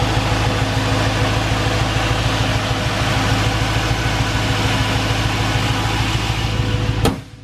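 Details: Finished Honda S2000 with new remanufactured LS1 V8, after tuning, AC blowing cold: steady, even idle with a smooth low burble, no knocks or misses, radiator fans humming in the background; healthy engine.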